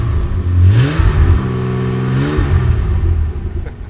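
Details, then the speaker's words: Jaguar XJ6 with the XK straight-six, possibly on old plugs, revved before disassembly: it blips up smoothly and settles back evenly with no knocks or misses and little smoke. It runs well, with the fuel pump audibly buzzing. "runs pretty good for a ratty old tank"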